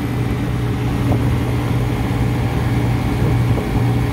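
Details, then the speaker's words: Ice machine, compressor started after pushing in the low pressure control, comparison against the neighbouring working machine; steady low hum with even drone, no knocking or rattling; normal compressor operation, suction pressure pulling down lower. "Okay, so I'm gonna push in the low pressure control. Compressor's running."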